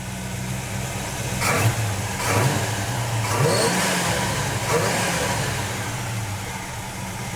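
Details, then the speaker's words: 1949 GMC 100 350 V8 of unknown mileage, no smoke, after switching 5w30 to thicker 10w30 Rotella T1: idling and revving blips, top end much quieter, lifters no longer tapping. "this engine it is so much more quieter that 5w30 was just too thin you know the actual mileage of this motor is unknown it doesn't smoke and now when it is - didn't tap with this thicker oil"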